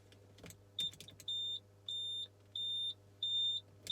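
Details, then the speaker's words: Ferrari F355 Spider (F1 gearbox, in neutral, very low mileage) roof interlock: short even high beeps about every two-thirds of a second, roof refusing to open because a condition (doors, seats) is unmet. "the 355 is extremely specific and very picky in the situation it will allow you to open the roof okay so you have to have things like the doors shut you know bits seats in incorrect positions and stuff like that otherwise you're just going to get"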